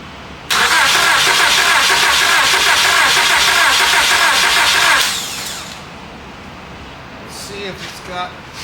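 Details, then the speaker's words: 2001 Honda Accord towed in, cranks but won't start: steady starter cranking of about 140 turns a minute for four seconds, never catches. No spark because the distributor connector was yanked apart and its wiring damaged; wiring repair got it running. "so somebody uh yanked that connector apart that distributor connector apart"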